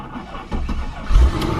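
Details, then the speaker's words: Salvage-auction supercharged Mercedes-Benz E55 AMG started after a new oil cooler fitted: starter turns, engine catches with uneven thumps then settles to a rough idle, not smooth but nothing catastrophic; battery suspected weak; oil warning light appeared. "let's hear that start didn't sound the smoothest but it didn't sound like there's anything catastrophic ly wrong"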